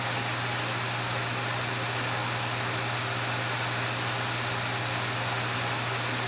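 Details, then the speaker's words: Vintage Wizard hassock fan with motor transplanted from a Mainstays box fan, switched from high to medium: steady even whoosh with smooth low motor hum, no wobble or rattle; normal running on medium. "Okay, let's knock it down to medium. Medium really isn't that much slower than high."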